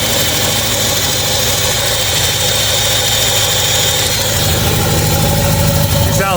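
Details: Ford 351 Windsor V8 rock crawler with Holley Sniper EFI, first start after long build, tuned to idle about 650 rpm; loud steady even idle, no knocks or stumbles; normal idle.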